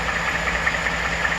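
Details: 2014 Ford F150 5.0 Coyote V8 at idle: a light, quick top-end "typewriter tick" about five per second. It started near 40k miles and persists at 80k. Several dealers couldn't hear it or find a cause; owner thinks it comes from the bottom.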